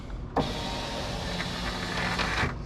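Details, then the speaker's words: 2003 Jeep Grand Cherokee passenger-side power window after window regulator replacement, key on: motor hums smoothly about two seconds and stops cleanly at the top, no grinding or clunks; window now works properly. "see a window that now works. Well, I'll be a son of a gun. Somebody actually did something right."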